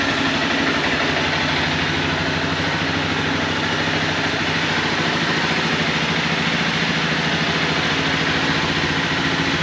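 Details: 2011 Honda CBR250R with 7,500 miles, long unused, now fitted with a new battery and fuel pump and a cleaned tank and fuel system. The small single ticks over at a steady, even idle with a light busy rattle on top, running cleanly and healthy.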